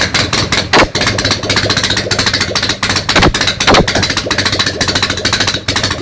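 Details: Ural motorcycle twin, first start after a major overhaul, fed by only one carburetor. Sharp, spaced pops about six a second with gaps between them. It is firing on one cylinder only.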